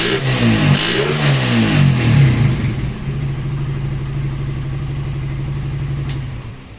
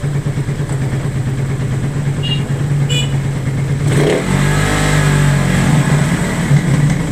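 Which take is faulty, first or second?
second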